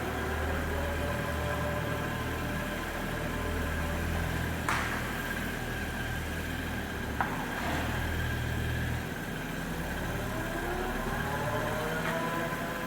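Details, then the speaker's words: Audi RS2, about 30 years old with 200,000 miles, on its first startup at the German dealer, parked and not driving: a smooth, even idle with a steady low drone and no ticks, knocks or stumbles. "I'm not driving but it's the first startup it sounds good running"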